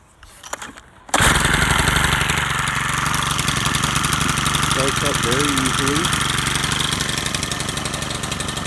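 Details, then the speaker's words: Stihl FS100RX four-mix trimmer with new carburetor, fuel lines and fuel cap. It fires at once and holds a steady, even buzzing run with no surging or stumbling. Healthy running. "it does run good start it up here so you can hear it run and it's a four mix engine so it does have quite a bit of torque compared to your conventional two cycle engine"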